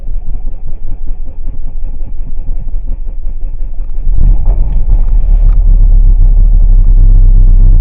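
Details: 2.8 CRD diesel Chrysler Grand Voyager on a cold start in ice and snow: engine churns and labors roughly at low speed, then surges with a heavy rumble, running unevenly and threatening to cut out; cold-weather stalling, cause not yet confirmed.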